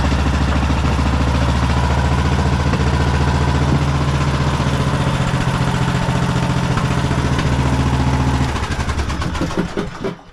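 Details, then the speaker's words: 2008 Husqvarna LTH1538 lawn tractor, mower deck running, then shut off: steady even hum, smooth deck, no scraping or knocking, winding down at shutoff. The blades were not seized; after engaging twice they spin and sound good. "the blades aren't seized so it just needed you know two times to slam them and then they start spinning they sound good"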